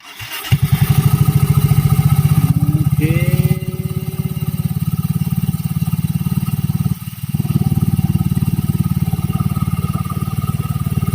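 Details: Yamaha Mio Soul i 125 with a noisy CVT, after a new CVT set was fitted: even, quick single-cylinder thumping, steady through small throttle changes, no belt rattle or grind; normal CVT running.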